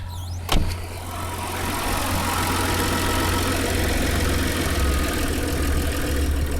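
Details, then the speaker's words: 1996 Nissan Maxima, idle speed adjustment: a click then a smooth, even idle settling to a low steady hum around 705 rpm, aiming for 600–615; normal idle after adjustment. "hear the engine sounded like much lower so let's again it's down to about uh t7 705"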